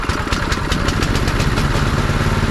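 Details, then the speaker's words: Normal start and run on a Predator 6.5 hp 212cc engine just swapped onto a John Deere 826 snowblower, on a cool day with choke on at one-third throttle: fires right away, fast, steady, even beat. "awesome you know that's awesome it's not a zero degree day or nothing but for a motor to start"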